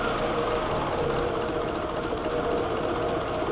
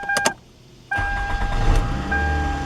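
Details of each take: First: 2003 Toyota Camry, 194,000 miles, struggles to start and runs rough with gas applied: uneven, lumpy idle with irregular shudders and wavering hum, engine visibly shaking; rough idle, with throttle body cleaning as the fix. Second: 2003 Toyota Camry after starter replacement and throttle body cleaning (had been running rough): brief starter whir, then engine catches cleanly and settles into a steady, even idle with no misses or knocks; normal start and idle.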